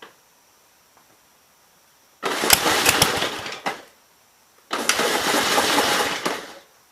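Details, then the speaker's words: 1951 Gravely Model L with Wico magneto, missing fuel bowl, hand-fed fuel and possibly flooded; catches twice, runs rough under two seconds and dies; owner suspects carburetor problems, gas seen dripping at intake or leaking head gasket. "i swear there's gas dripping out of the intake over here so why why it's not starting is beyond me"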